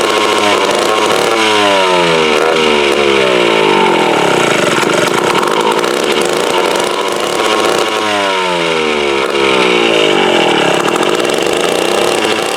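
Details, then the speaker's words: Mid-1950s Strunk Speed Demon two-stroke chainsaw, bar and chain off, stored unrun since the early 70s, dirty tank: loud raspy buzz surging and sagging unevenly, never steady; ignition good, carburetor needs a rebuild kit. "so she definitely needs the car rebuild without a doubt you know it's been since my uncle was telling me he said it's been setting uh since the early 70s without being ran"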